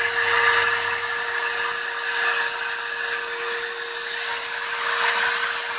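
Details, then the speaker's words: Five-day-old Dremel 3000 rotary tool at maximum speed: piercing steady high whistle over the motor whine, absent when new, appeared after first two days, shaft also shows slight runout; cause unknown. "тоже уже был слышен такой пронзительный свист которого изначально не было изначально это в первые два дня после покупки"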